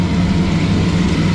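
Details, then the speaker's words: 1966 Mustang carbureted V8, first startup in 40 years: steady even idle with deep drone held at one fast speed, no misses, rather smoky; idle set too high, owner unsure how to adjust carburetor. "I got to say with the exception of an idland high it don't really sound horrible"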